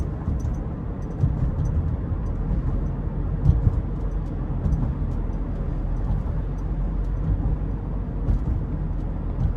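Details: 2018 Subaru Forester Limited, 170-hp 2.5L 4-cylinder, in-cabin while driving: low even road and engine hum with no creaks, squeaks or rattles; tight, quiet interior.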